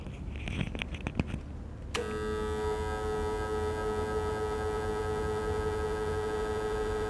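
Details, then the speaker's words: Electric fan switched on and run on power from a low-cost 12V 1.5kW all-in-one solar inverter, later compared with grid (TNB) power; a strange constant high-pitched buzz rides over the motor: motor buzz from inverter power. "Ni bunyi yang kita dengar semasa kita onkan kipas angin dengan menggunakan power daripada inverter ni."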